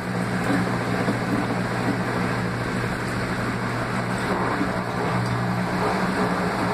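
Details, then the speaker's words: Laundry Alternative mini automatic washer at intermediate spin, about 850 RPM (owner unsure), recorded on a phone that may make it sound louder: smooth, even hum with a steady low tone and no knocking or grinding. Quiet, normal spin. "E como vocês podem ouvir, a máquina está silenciosa, talvez o meu telefone faça parecer mais ruidosa, mas ela é muito silenciosa."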